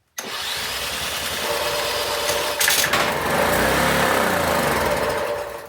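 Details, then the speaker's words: Honda EB1400X generator, 107cc 3HP, long neglected and reportedly not starting, fired with a drill and a little ether: catches abruptly and runs at a steady fast buzz with no misses; normal running. "Look at that. She runs. It doesn't This thing's crazy. I mean, this generator is working perfectly fine."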